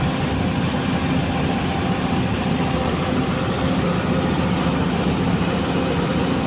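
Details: Hyundai R480LC excavator diesel: heavy idle with lumpy, stumbling beat instead of an even run, one cylinder misfiring from a faulty injector nozzle.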